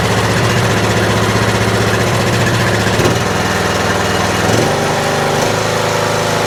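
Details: Troy-Bilt Pony riding mower, first start after fixing loose fuse-block connection, oil just above minimum: single-cylinder runs evenly, revs rise then settle back to steady, slightly high idle; throttle response good, running normally.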